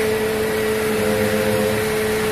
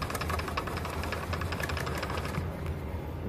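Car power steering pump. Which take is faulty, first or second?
second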